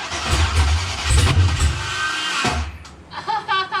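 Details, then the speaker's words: Engine cranked with the starter held down while throttle is worked: the engine fires and runs rough for a couple of seconds, then cuts out abruptly; it starts, then stalls during cranking. "were you holding the starter down the whole time okay so it started kicking and then it started kicked out okay that's what that is"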